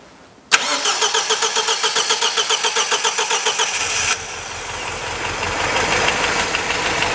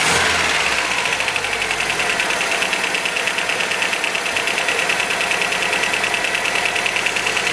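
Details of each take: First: 1977 MGB off the road for years, second startup with a part from the donor car and roughly set timing: about three seconds of steady cranking, then it catches into an even smooth idle, slightly rattly from tappets; running properly at last. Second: 1977 MGB engine, first proper run in six or seven years after rough timing adjustment: uneven idle with light clatter about three ticks a second from tappets needing adjustment; timing not yet set properly.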